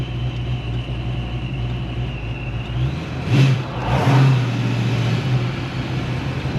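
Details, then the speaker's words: Ford Foxbody back on the road after head gasket and cracked piston repairs, new plug wires and replaced -10 AN fuel line: low steady engine drone pulling cleanly at part throttle over road rumble, no knocks or misses; air-fuel rich under load. "so feels really good at part throttle isn't it"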